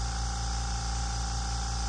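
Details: Makita air compressor filling toward roughly 135 PSI cut-off before inflating Fox Body Mustang tires: steady even mid-pitched hum, no knocks or surging; normal pumping.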